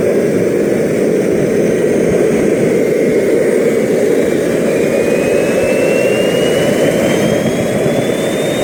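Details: RT130 model jet turbine after rebuild, spooling to full power: loud jet roar with a thin high squeal rising in pitch; compressor wheel rubs the front housing, which owner thinks prevents reaching the set maximum of 120,000 rpm.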